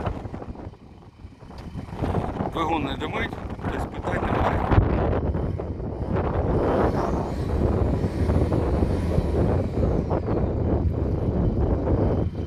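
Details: Steady low diesel idle with even clatter under gusty wind and crowd noise; nothing irregular, normal-sounding idle.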